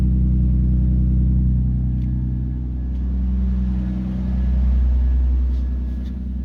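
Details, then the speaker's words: Nissan Skyline R33 GTST idling after the noisy old fuel pump was replaced with a Walbro 255LPH and one fuel pipe was replaced: smooth, deep, even idle with a steady low rumble, no misses, ticks or hunting; no leaks, repair a success. "Seems fine. The reason I was checking under as well is I've replaced one of the fuel pipes. So just checking for a leak there."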